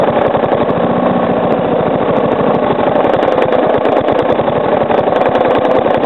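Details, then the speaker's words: Three-year-old Briggs & Stratton lawnmower engine, fresh oil, first start after sitting 6-8 months over winter, slowed almost to stalling: quick, even tapping knock over the idle note, masked when revved; cause unknown, owner suspects improper combustion or a worn loose part. "I'm going to slow the Rev down till it like almost stalls itself out so you can hear the knocking cuz when I rev it up you obviously can't really hear it that well cuz the the sound of the engine muffles it"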